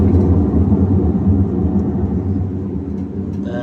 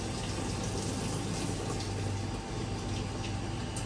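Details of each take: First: Whirlpool Cabrio stator-driven top-load washer, no error codes, in spin: a deep, continuous roaring growl rising and falling slightly, the sound of a worn tub bearing going out. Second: Whirlpool Cabrio stator-driven top-load washer in test mode, with the hot inlet valve toggled on: steady rushing water with a low hum as the tub fills normally.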